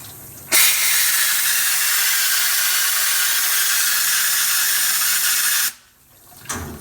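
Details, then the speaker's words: DIY vapor blasting cabinet tested with water only, water pump just switched on with compressor charged: strong, steady even hiss for about five seconds then cut off; gun spraying cleanly and impressively. "As you can see, the pump's not even running, and the air coming out the compressor's enough already that it actually just draws the water straight out."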